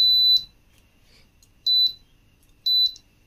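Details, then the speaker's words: Philips Viva induction stove with the coil and IGBT temperature sensors disconnected: sharp high beeps in groups of one, two and three chirps over silence. E9 temperature sensor error alarm. "கொஞ்ச நேரத்திலேயே உங்களுக்கு e9 error வந்துரும் சரிங்களா"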